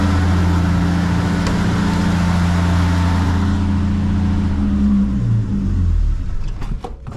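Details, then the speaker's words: 1974 Holden LH Torana with new hoses and radiator and a second-hand battery. Once warmed up with the choke off, it gives a steady, even low rumble with no knocks or misses, a normal, healthy warm idle. "as you can hear there she purrs along really nicely actually it's got a nice sound to it nice note"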